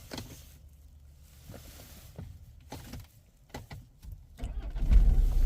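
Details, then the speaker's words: 2012 Range Rover Evoque 2.2 diesel after start-fault repair, battery-related faults gone, fuel low: a few quiet clicks, then it fires straight up and settles into a steady run, charging 14.8 V, no warnings; normal start. "Fire straight up, look. No warnings other than low fuel."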